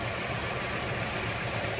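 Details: Rebuilt Toyota AE86 4A-GE four-cylinder, ignition timing set by timing light per the factory service manual, TPS and throttle body adjusted: smooth, even idle with a steady low hum and no misses or knocks; idles cleanly.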